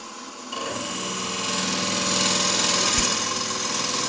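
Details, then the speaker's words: Wood lathe turning cherry burl: scraping cut with uneven pulsing chatter about three times a second, starting at the same distance from the headstock either direction; owner hopes new bearings will fix it; lathe vibration. "that's a vibration I'm talking about right there I mean does it the same spot don't matter which way I'm going so roughly this far away from the head and it starts vibrating"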